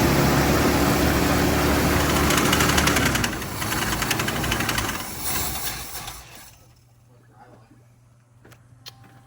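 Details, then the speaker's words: 1959 Ford Fairlane V8 at first start: it fires and runs briefly with a quick steady slapping, about four beats a second, from a very loose power steering belt flopping against the fan; the belt will be tightened. "We'll tighten it up and we'll fire it up again. But yeah, it was just the belt flopping up against the fan there."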